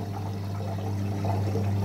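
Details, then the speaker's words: Electrolux EWS 1046 washing machine, never repaired apart from a once-broken power cable, recirculating water while filling: steady low pump hum with water swishing and trickling over it, recirculation sounds normal. "Вот так вот циркулирует, очень это хорошо, набирает воду"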